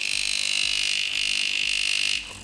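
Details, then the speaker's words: DeLonghi Magnifica EVO coffee machine, which would not draw water, after flowmeter repair: harsh high-pitched pump buzz louder than normal, then drops away; air entering and water leaking at the flowmeter, probably from a cut seal. Pump drawing air. "w tym momencie ekes tak głośno się zachowywał ponieważ nie było uszczelki on łapał powietrze przepływomierzem A takie dźwięki pompują że jest powietrze"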